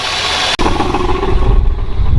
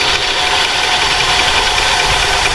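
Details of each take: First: Mopar V8 that sat in the desert for 20 years, first start with fresh battery: after a brief dropout settles into a deep, steady rumble, idling evenly without misses or knocks; runs good. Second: 46-year-old Plymouth Volare 318, sat 20 years in desert, first run off its own fuel tank: runs, then cuts out, stumbles and dies, not pulling fuel; suspected clogged sock in tank or rubber line at tank.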